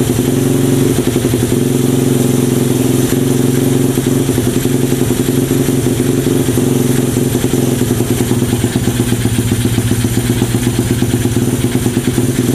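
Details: Mini trail bike with a manual-gear Honda 70-based single-cylinder engine that wouldn't start; after the carburetor jet thought to be clogged is cleared, it ticks over at a steady, even idle with no hunting or stalling.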